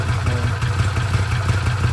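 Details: Arctic Cat Wildcat 1000/X side-by-side after starter gear upgrade and starter boss reinforcement: short, steady low idle with an even beat, no knocks or grinding; engine sounds healthy.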